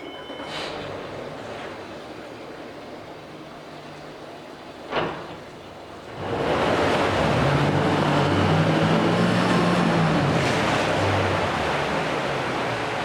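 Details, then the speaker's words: 2006 Mercury 75hp four-stroke outboard, 20in shaft, run without the fan: a sharp knock, then the motor catches and settles into a steady, even idle with no misses or knocks; normal idle. "so we'll run it here quick without the fan on it's four stroke so it's a little harder to hear anyways"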